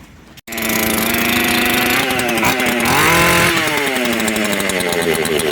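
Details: Makita EA3202S/EA3203S chainsaw after fuel hoses reconnected and primer confirmed pumping: fires instantly, runs clean and steady, picks up smoothly when revved and holds without dying; fuel feed healthy.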